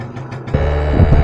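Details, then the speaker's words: 1986 Yamaha Razz scooter after carburetor float valve repair, road test at full throttle reaching about 26 mph: it jumps from a light buzz to a loud, steady drone, pulling evenly with no stumble or misfire. Normal full-power running. "power holy smokes these things move 20 miles an hour 25 25 26."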